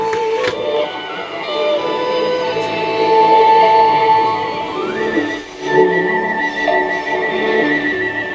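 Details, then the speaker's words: Roberts R707 radio after rebuild, FM switch cleaned to restore AM bands, long wire removed, telescopic aerial: clear, steady shortwave broadcast, faint whistles, little fading; good reception. "the shortwave is working. Let's take the long wire off. You can still hear that."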